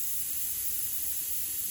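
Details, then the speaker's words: Ford GT500 tire on lift: steady sharp hiss of air escaping as a long nail is pulled out; puncture leak. "So let's go ahead and try to pull this nail out and see if we have a leak. Oh yeah, I hear it."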